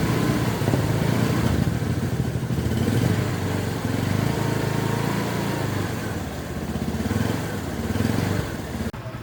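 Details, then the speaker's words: Honda Supremo TMX single-cylinder motorcycle idling right after an oil change: steady, even low putter over faint street noise; smooth, normal idle. "So ang ganda ng tunog ng minor niya. Iba talaga pag napapalitan ng langis eh."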